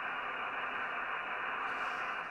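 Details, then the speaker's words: Yaesu FT-1000MP Mark V under deaf-receiver repair, fed from a signal generator by coax into the RF board at 28 MHz, USB, zero attenuation, AGC auto: a steady even hiss of band noise with no dropouts. The receiver is picking up normally. "so it's actually picking up normally these by the looks of it and you can actually hear it"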